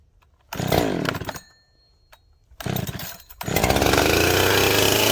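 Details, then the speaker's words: Husqvarna 371 XP chainsaw after oiler repair, test run, may need a little choke: a couple of pull-start bursts, then the saw catches and holds a steady, even buzz with no stumbling; healthy. "So I'm gonna fire it up, make sure it's oiling the bar real good, and we're gonna give it a shot and see how she cuts."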